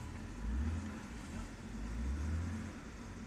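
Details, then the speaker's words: 2007/08 BMW 328i after fixing click-no-start starter problem by hammering a receiver piece into place: engine fires and idles smoothly with steady low rumble and gentle swells, no misses or knocks. "fired the thing up voila you know what I'm saying car is running right now as we speak"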